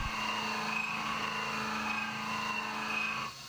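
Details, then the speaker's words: CNC milling an AR15 high rail gas block, depths of cut redistributed more evenly across the Z levels: an even, steady cutting tone with no chatter for about three seconds, then a clean stop. "So now I think I have it programmed to take a depth of 710,000, something like that, and still get me to the correct Z level at the bottom. So that should help a little bit more, make it sound even better."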